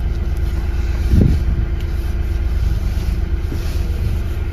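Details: Hyundai i30 driving on rough road after repair of steering knock felt in cabin (tie rods, ends and rack checked fine; part replaced): low even rumble, one soft bump, no knocking through steering.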